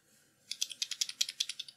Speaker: it's important to hear that rattling sound because you do not want the beam splitter to be held rigidly in place otherwise it will result in deformations and astigmatism